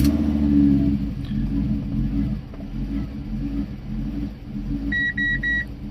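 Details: Fiat Stilo Abarth, long stored, cranked with the throttle body connector unplugged to test the ECU: long uneven rumbling crank, engine struggling to catch, a few dash beeps near the end; hard start, throttle body fault indicated, ECU fine.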